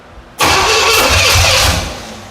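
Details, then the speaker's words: 1977 Pontiac Firebird barn find with an overhauled Pontiac 350 small block, first start attempt: a sudden harsh pop and rough burst that dies without catching. Backfire because the distributor was installed 180 degrees out. "So, classic mistake. We got the distributor 180. That's why it's backfiring."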